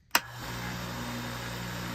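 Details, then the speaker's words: Belt sander induction motor fed through a Variac at 115 volts, switched on. A click, then a steady low hum with a fixed tone near 120 Hz settles in at once: normal induction motor running. "I'm going to turn the belt sander on, watch the RPM when I turn it on, and then I'm going to drop this down to about half voltage, and you're going to see that's going to stay the same speed."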